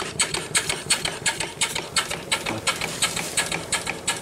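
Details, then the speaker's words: Erie steam engine run on boiler steam after draining water and opening the valve: crisp even exhaust chuffs nearly three a second, steady beat, no knocks or rattles, runs good. "close the valve and open it on up foreign it runs good there"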